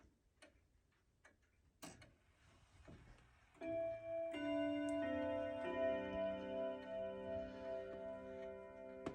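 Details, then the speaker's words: Handmade grandfather clock, running but very slow, with hammers not striking correctly: a few light ticks, then the 15-minute Westminster quarter chime rings clear notes through the melody and hangs on evenly; the chime works perfectly. "However, the Westminster chime that this clock does works perfectly, and I'm about to let you guys hear it."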